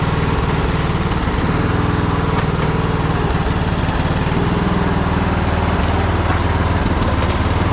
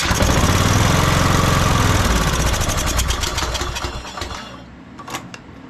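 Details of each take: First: Troy-Bilt Bronco riding mower, unstarted for at least a year, running on old gas after choke start: deep steady even beat, no misses or knocks; runs cleanly, not half bad for sitting so long. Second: Troy-Bilt Bronco riding mower, unstarted for about a year, previously frozen starter, air box off with carb spray and choke: loud uneven cranking fading to a free whir without catching, the starter gear slipping on the flywheel again.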